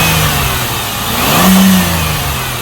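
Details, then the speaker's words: 2008 Chevy Impala 3.9L V6 after alternator replacement: engine revs up and settles smoothly, with no squeal, whine or grinding from the front accessories. The old alternator's noise is gone and the new pulley runs straight without wobbling. Normal revving. "good the noise that the old alternator was making is gone and you notice the pulley is straight not uh not wobbling"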